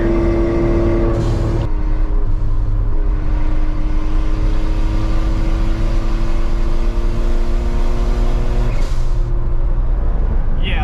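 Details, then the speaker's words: Suzuki Cara (Autozam AZ-1) turbo kei car on dyno, Cappuccino Monster Sport N1 ECU, 1.1 bar boost, straight downpipe that fell off the day before; raspy uneven blowing roar under load, owner suspects boost or exhaust leak, unconfirmed. "this is what it sounds like a night throttle sounds like a boost leak or an exhaust leak it sounds really weird"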